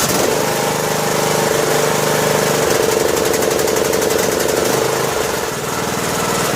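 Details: Two-year-old Husqvarna riding mower, 18.5 hp Briggs & Stratton Intech, test run on choke after a broken compression release was fixed with a new camshaft and tappets: catches and runs steady with no knocks or misses; normal.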